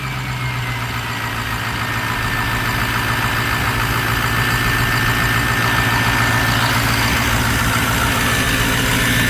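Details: Ford Mustang with diesel swap (Strokestang), first run after fitting a new turbo: steady diesel idle with even clatter, rising gently under light throttle with faint turbo whistle; turbo judged good, runs smoothly.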